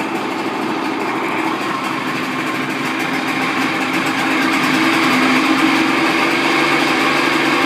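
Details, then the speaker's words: Evinrude 55 outboard in a water container after throttle cable adjustment: steady high buzzy idle, even pulses about three a second, slight speed rise midway; smooth, no knocks or misses. "I start up the engines once a week, make sure that all the components are getting used, and as you can see, there's no problem with this engine."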